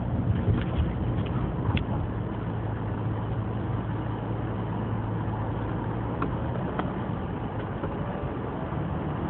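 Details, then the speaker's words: 2014 Subaru Forester CVT driven in cold weather (teens °F), steady droning whine at just over 2,000 rpm at about 32 mph, CVT not upshifting; the high rpm is HVAC-controlled, dropping to 1400 rpm with HVAC off, and lasts about 30 minutes. "You can even hear the motor whining. The higher RPMs. And unfortunately, when the weather's cold like this in the teens, the transmission does never upshifts."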